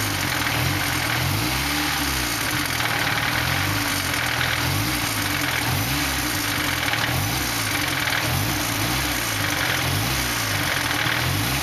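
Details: 240 with KA (ka-t) engine still making engine noise at idle: steady idle with a recurring low pulsing beat under the engine note; cause unclear.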